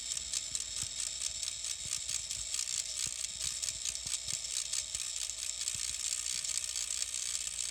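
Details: Denon X1800 mixer after boot: a steady high-pitched electronic hiss with irregular crackles and buzzing that change with the FX channel settings and when network cables are unplugged; an internal fault, sent back under RMA for repair.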